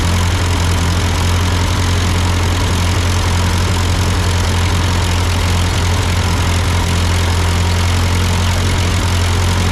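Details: Ford 8N tractor idling after an amateur carburetor adjustment. Uphill sputtering had been traced to a cheap Chinese replacement carb; an old Marvel-Schebler ran fine. Steady, deep, even idle with no stumbling or misses; sounds good, a normal idle.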